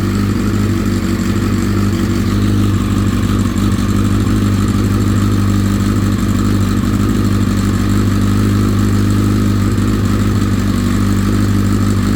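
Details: Honda CBR1000RR SC57 engine: loud, lumpy idle on start-up with a busy mechanical rattle from the top end; fades after brief warm-up, returns on restart ~10 minutes after riding, possibly faint ticking while riding; owner suspects cam chain tensioner, unconfirmed.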